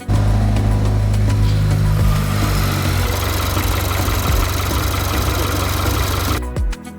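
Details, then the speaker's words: Land Rover P400e plug-in hybrid, 2.0 Ingenium PT204 petrol engine, after a timing chain replacement: even, steady idle with a smooth low drone and no rattle or tick; normal idle. "And this is it. The car is up and running. We've done timing chain on it. Nice and smooth now."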